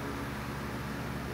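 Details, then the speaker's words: Dayton 1LPN8 AC gear motor, oscillator for an outdoor greens fan, just reassembled with gears regreased: short steady low hum as it comes up to speed, smooth and even, rotating again, repair fixed it; normal running. "to rotate i hear it and yep there it goes it is now rotating again and that fixed it"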